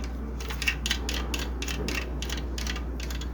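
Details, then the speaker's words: Spirit fan: steady motor hum with rhythmic scratchy ticking about three per second; thermal protector came loose inside motor, likely from a broken heat-dried clamp, rubbing on internal support rods. "Dá para ver que o protetor térmico tá solto provavelmente quebrou a braçadeira e ele ficou solto então a um atrito nas hastes de sustentação interna da parte aqui estrutural do ventilador"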